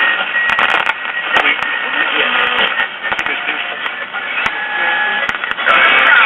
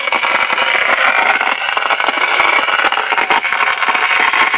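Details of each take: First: 1951 Silvertone five-tube radio, after repair of a defective IF transformer that had caused thunderstorm-like noise: crackly, narrow broadcast of voices and music with occasional static pops; normal station reception is back. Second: 1951 Silvertone 5-tube radio after capacitor, power cord and tube replacement; dense continuous crackle and hiss with sharp pops like a thunderstorm, no program audio, from a leaky second IF transformer leaking high voltage onto its secondary winding.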